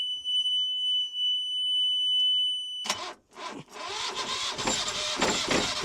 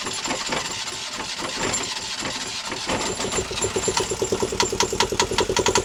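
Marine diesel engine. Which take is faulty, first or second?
first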